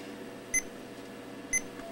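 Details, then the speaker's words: Toshiba Portege 7020CT-series Pentium II laptop that won't power on: two short, high beeps about a second apart over room hiss; owner suspects a RAM problem and tries a PC100 module. "okay that is not good yeah it's not even coming on at all i wonder if we got a ram issue"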